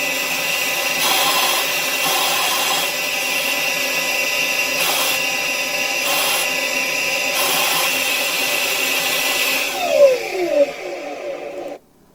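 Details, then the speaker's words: BMW X5 with a secondary mass airflow problem: secondary air pump commanded on while the air injection valve is rocked. Airy hiss surging about every second as air rushes past the valve sealing surface, so the valve opens and the pump pumps, yet no flow goes down the exhaust. "Okay, you can hear air rushing past the sealing surface of the valve. So that proves that to me that this valve is capable of opening."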